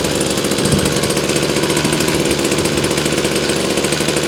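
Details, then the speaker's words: Badger two-stroke weed whacker on a mild late-October day, about 65°F, freshly fuelled with a little gas: steady, even buzzing run with no misses or surging; normal running. "right she's running and I'm gonna go weed whack"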